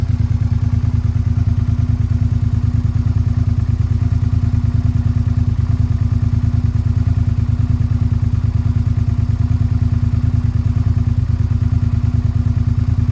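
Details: Suzuki SV650 V-twin idling after replacing worn cam chains that had caused a rattle: even, steady idle with a regular low thump and no top-end rattle or ticking; normal idle.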